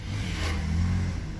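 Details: 2015 Ford Ka 1.5 Sigma after repair of poor power and hard morning starts, no fault codes, ignition advance around minus three to four degrees: steady even low hum, smooth idle with air conditioning on.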